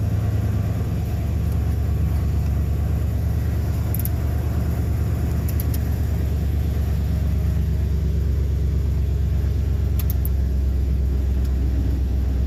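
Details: 2001 Ford F250 5.4 V8 first start after starter replacement and cam position sensor work, in park: deep, steady rumble at even idle, no misses, knocks or starter noise; healthy, some smoke suspected.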